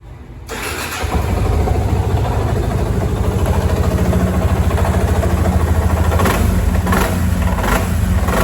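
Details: Yamaha Fazer 250 engine catches after a second of cranking, then runs with a fast, uneven patter over a low drone; new-bike engine noise, cause not identified.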